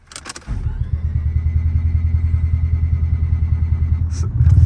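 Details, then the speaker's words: Turbo rotary Mazda FD RX7 with an upgraded starter cranking about 250 RPM versus roughly 180 stock: a quick, even high-pitched crank under half a second, then a steady choppy idle; healthy start. "sounds like a spaceship I have a a bigger starter in it it turns faster 250 RPM I need it stocked is like 180"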